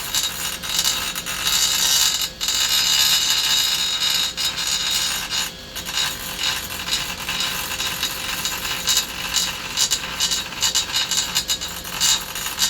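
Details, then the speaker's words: Carbide burr in a die grinder working a Mopar 340 Thermoquad intake manifold: high hissing scream with uneven rattling bursts as it bites, the burr has a piece missing and chatters, hitting harder than it should. "That burr actually has a little piece missing out of it. I can hear it. I can hear it hitting it harder than I'd like."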